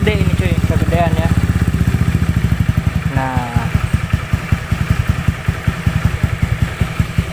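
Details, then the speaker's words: Honda Beat carbureted scooter, first start after fitting a PE24 CPO carburettor: the small single runs a busy, fast, slightly uneven idle that never settles. Idle speed is set too high before the air screw adjustment. "testing nah ternyata langsung cuy dan langsamnya gede"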